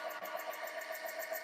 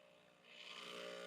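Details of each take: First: Breville Barista Express built-in grinder, about six years old: high whirring grind with uneven pulsing about three times a second before stopping; owner attributes the noise to the grinder getting old, not confirmed. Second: Breville Barista Express espresso machine, shot started: soft low pump buzz during gentle pre-infusion of about five to six seconds (nominally three), then swells to a steady, stronger full-power pump hum; normal operation.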